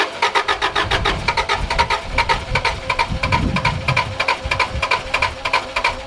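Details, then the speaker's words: Subaru Liberty RS AWD turbo manual, parked 10 years, first start attempts with extra fuel added into the airbox: uneven, stumbling firing with gaps and surges, catching briefly then fading, wanting to stall; owner guesses injectors unblocking, unconfirmed. "he wants to die"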